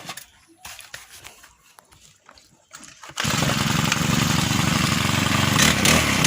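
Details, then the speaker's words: Brush cutter after repair for a loud noise: worn old clutch shoes, bolt holes worn oval, replaced with new clutch shoes. A few pull-start tries, then it catches and holds a steady high buzz with no rattle; now quiet. "ก็กลับเสร็จแล้วนะครับเงียบเปลี่ยนคลาสก่อนใหม่นะครับ"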